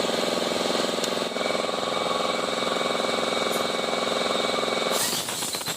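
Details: Honda i-DSI transmission: harsh, gritty whirring with a fast rough beat, about three to four pulses a second, over the running engine; grinding inside the gearbox, with vibration and delayed shifting reported.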